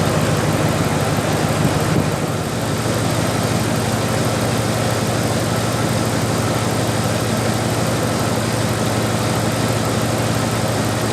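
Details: 1997 Dodge Dakota 5.2L V8 2WD after water pump replacement: steady, even idle with a deep smooth rumble and no knocking or squealing, running normally.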